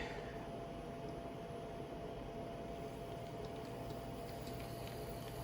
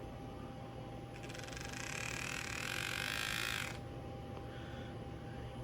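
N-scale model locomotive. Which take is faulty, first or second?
second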